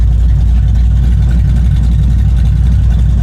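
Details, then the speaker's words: Holden 308 V8 in a VC Commodore with new mufflers replacing tinny, echoey ones: deep, steady low rumble with even lumpy idle beat, no rasp or buzz; healthy exhaust note. "all right guys we've got our new Mufflers on this exhaust and this thing is sounding much nicer that sounds much better"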